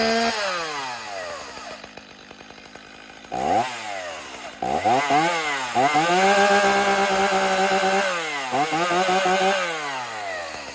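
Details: Stihl MS310 chainsaw after repair, run on oil-rich fuel mix: crisp throttle blips rising and falling cleanly, steady idle, no bogging or sputter; running well.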